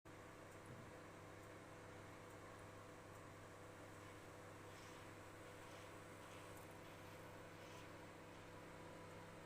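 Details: Balay 3WG-I923XP microwave oven running: a steady low hum with a buzzing rasp over it, unchanging throughout. This is an abnormal running noise of unknown cause.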